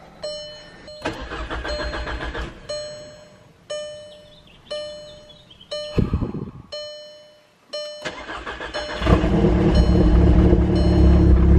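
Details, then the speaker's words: Built MK6 Golf R first start the morning after installing aftermarket CAT cams and resealing the cam tower: short cranking bursts, then a steady even idle with no obvious misfire or clatter; seems fine, though minor valve damage not ruled out. "So the engine seems fine. I won't really know for sure until I take it for a drive and see if it's misfiring and everything, but seems like it's fine."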